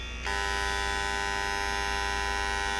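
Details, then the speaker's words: EBS260 handjet printer in purge mode, trigger pressed and spraying into a box or can after pressurizing: a steady, even high buzz cuts in sharply and holds while all jets fire; normal purge spraying. "Now we're in purge mode. Now we can spray into either a cardboard box or into a garbage can or whatever you have."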